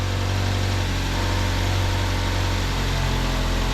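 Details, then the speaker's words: 2009 Ford Fusion 2.3L after reconnecting a loose cam position sensor, replacing a broken cylinder head temperature sensor and connector, and clearing codes: after a brief idle flare it settles into a steady, smooth idle, though an intake runner control stuck-open code followed. "runs a lot smoother though just going to recheck it for colds see if there's anything that's going on there"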